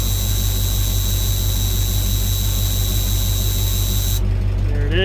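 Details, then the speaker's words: 1985 Ford F-8000 CAT 3208T diesel idling at 13°F with ice in the air brakes: a shrill continuous low air pressure warning buzzer for about four seconds, then it cuts off once the green gauge passes 60. "once the green one gets past 60 the alarm will go off"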